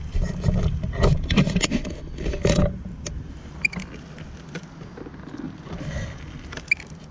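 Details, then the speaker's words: Onewheel board with loose inner 5mm silver hub bolts, retightened two days earlier: irregular metal-on-metal groans, scrapes and squeaks as the hub shifts instead of turning the wheel; fix is tightening with threadlocker. "Oh shaken groaning noises squeaking noises that's your hub mounts are loose"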